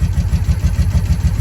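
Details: 1983 Honda V45 Sabre VF750S that would not start until the starter button contacts were cleaned; now a steady, even low thumping idle at about seven beats a second with no misses or knocks.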